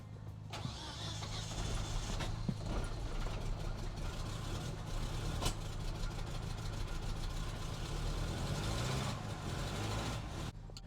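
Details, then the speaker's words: 1988 Ram 50 mini truck with a carburetor, motor believed blown. Cranks, catches and settles into a lumpy, uneven idle with stumbling beats; rough running, cause unconfirmed, owner suspects water in the oil. "It don't run good, but it runs."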